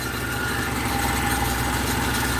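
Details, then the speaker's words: 2020 Ford Ranger idling: a rough metallic whir and chatter from a worn AC compressor clutch, with metal shavings visible and the belt half gone. "shut it back off and start it again all right all right sounds like ac clutch is about done headed on this thing"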